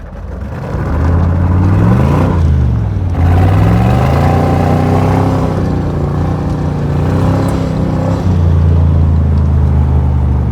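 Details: V8 freshly restarted, idle reading rich on the driver's side for unknown reasons: a deep rumble sweeps smoothly up and down through several revs, pulling cleanly with no knocks or misses; normal revving.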